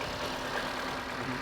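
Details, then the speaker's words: Crash-damaged Cat B Audi RS3, 51,000 miles, serviced a week before the crash, idling right after a first start: steady, even beat with no tapping or misfires; engine sounds good. "That's sounding good. Now there is actually a bit of a story to this as well, because you're probably wondering, why have I got a Cat B car?"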